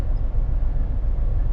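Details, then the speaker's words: Wagon with service engine soon light: rough, uneven lumpy petrol idle; scanner showed code P0303, cylinder 3 misfire. "I can't read the digital dash I don't know I don't know if there's a check engine light or whatever but um it really does sound like a misfire so I"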